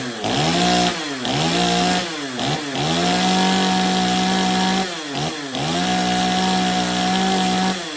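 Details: Stihl 025 chainsaw after repairs, carb tuning and chain sharpening, test run with bar and chain dry; revs up crisply to a high scream several times and drops cleanly back to idle; normal running.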